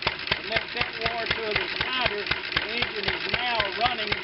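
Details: 1920 International Type M kerosene/gas engine, hand-started, timing checked and correct: sharp exhaust pops about four per second, fairly regular, over clattery mechanical background; rough running, owner suspects worn valves and valve seats, not confirmed.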